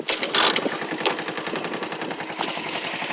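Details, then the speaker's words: 1984 Honda ATC 200S single-cylinder barn find idling at 32°F in Ohio, not fully warmed up, with a new exhaust header and muffler; quick, even popping beat with no tick and no smoke, so normal idle. "But listen to that. No tick and no smoke. Unbelievable machine."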